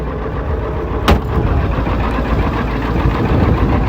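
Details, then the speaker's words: 1996 Ford F250 7.3L diesel cold start after replacing faulty glow plug relay and IDM (hard start, P1294 code): quick catch, then steady even diesel clatter with no misfire; healthy start. "I'll tell you, that truck has never started better. Going to do a nice little cold start."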